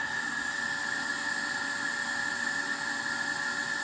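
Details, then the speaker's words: Filter Queen Majestic 360 vacuum with a 119649-00 motor dated 06/30/04, during an airflow test. A steady motor whine with a constant airy hiss and no pitch change; air is still leaking around the latch. "but this that still won't prevent it from leaking around the uh latch but yeah we're still leaking i can hear it"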